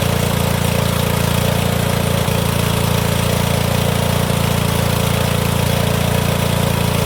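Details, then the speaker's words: Cub Cadet HDS mower with possible blown head gasket and squirrel-chewed coil wire, started with spray starting fluid, no battery: even steady single-cylinder beat with no misses or knocks; runs and drives. "Oh, she does drive. I didn't have the little pin pulled in the back to let it drive."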